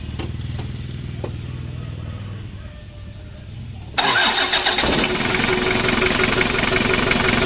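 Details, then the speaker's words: Freshly rebuilt Daihatsu Hiline F70 diesel, glow plugs fitted and preheated: low slow cranking, then it catches at once and settles into a steady, even run as oil pressure rises; healthy start. "Untuk mesinnya sudah hidup. Untuk olinya naik ya. Kita panasi dulu."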